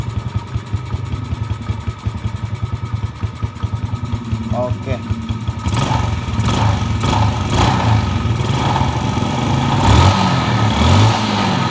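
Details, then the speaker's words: Motorcycle after draining suspected fake Pertalite fuel and adjusting the carburetor idle speed and air screw (about 3 turns, set for highest RPM): even, stable low idle without hunting, then smooth, quicker throttle blips; engine sounds smooth. "sip suara sudah halus dan untuk RPM rendahnya sudah stabil pada tarikan gas juga lebih Gesit dari sebelumnya"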